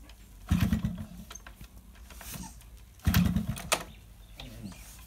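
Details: Yamaha RX100 two-stroke, morning cold kick start after heavy rain: two kicks about two and a half seconds apart each give a short sputter that dies without catching; hard cold starting, spark plug suspected.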